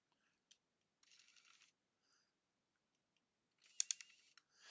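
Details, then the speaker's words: P900 camera at power-up after gearbox repair: whirring zoom motor bursts with sharp isolated clicks. It should not click; something is suspected inside the zoom assembly. "That clicking, I don't like that clicking noise. I do not like that at all."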